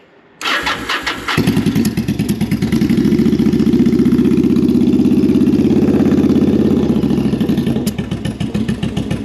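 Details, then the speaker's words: Bobber just fitted with a Cobra Speedster exhaust, started on choke: catches after a short crank, then a loping, uneven idle with scattered pops. Owner thinks it is running lean and the carburetors need syncing and fine tuning. "all right so it runs it runs like mostly because uh the carburetors need syncing and fine tuning I think right now it's running a little bit lean maybe just because I kept hearing pops but either way sounds good"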